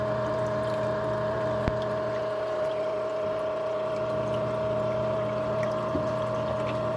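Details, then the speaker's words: Marineland Penguin 200 power filter after about six months' use, greasing with petroleum jelly and cleaning didn't help: steady loud hum with sharp constant tone and rough grinding edge; filter motor or impeller grinding, cause unknown. "it was very loud and it's almost like it sounds like this is grinding on something"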